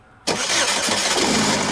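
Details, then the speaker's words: 2011 Chevrolet Equinox towed in for no-crank after a new engine and repairs; starter relay shows low-voltage and open-test faults, so it is cranked with a test relay: brief crank, then it catches straight into a steady, even idle. Normal crank and start. "So using our test relay again, I can get the engine to crank up. Let's see if we can manually crank this thing."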